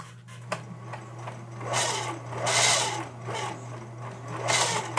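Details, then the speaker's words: Singer Merritt 4552 sewing machine running with its top off: light motor hum and stitching clatter with a thin, steady whine from the plastic hand wheel gear meshing with metal. Grease was just added, and the noise is expected to fade with use. "runs great it has a little whining noise which is coming from here from this uh hand wheel gear and because there's a plastic gear here connected to the metal"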